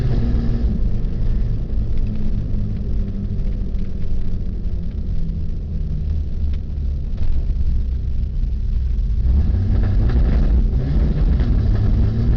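Uneven, lumpy low rumble with irregular stumbles in the beat; the engine isn't firing evenly, pointing to a misfire. Cause suspected, not confirmed.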